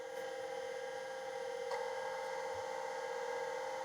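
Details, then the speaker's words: 1985 Plexus P/20 UNIX computer MFM hard drive: quiet steady whine at one pitch with single soft click; servo speed good, heads suspected stuck but click possibly heads loading. "I don't know that maybe that's fine actually maybe that's the sound of the heads being loaded because there was sort of a chick sound"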